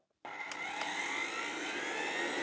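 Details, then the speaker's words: Zelmer Odyssey 1700W vacuum cleaner after repair of its variable speed control, trimmer set past halfway: the motor spins up from silence to a smooth, steady low-speed whir with no rattles or speed hunting. "it's running that's a good sign"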